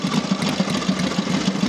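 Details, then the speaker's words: Matchless G12 after engine rebuild with new crankshaft, conrod and main bearing, hot start after road test: slow, even putter at about seven beats a second, steady and regular with no knocks. Healthy, very low tick-over. "that's running now on slight so you get a very slow tick over"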